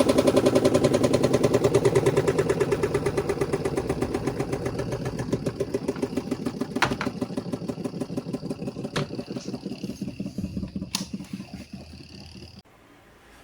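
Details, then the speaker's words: Washing machine spin dryer makes loud rapid clunking, about three per second, audible even from outside the house, fading as the drum spins down; cloth wrapped around the lower spin shaft, still noisy with the portable cover removed. "Dan suaranya itu kencang banget gitu loh. Ini kalau kita dengerin dari luar rumah pun masih kedengaran."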